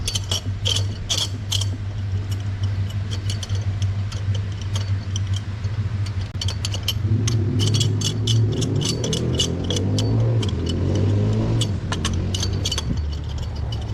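A petrol engine idles with a steady low hum, then revs up smoothly and settles back down.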